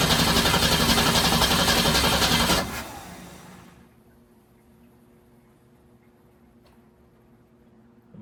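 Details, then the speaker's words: Ford Torino 250 inline-six with Carter RBS 1-barrel carburetor after rebuild: starter cranks fast and even, about four beats a second, never catches; engine flooded, likely carburetor cleaner poured in float bowl. "have it flooded now going to start yeah she's flooded [Music] she flooded"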